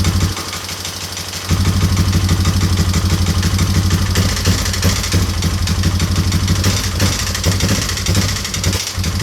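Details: Yamaha Wolverine quad reassembled after fuel leak and running-problem repairs: single-cylinder thump picks up and holds a steady, strong beat after a brief rev, no stumbling or misfire; normal running.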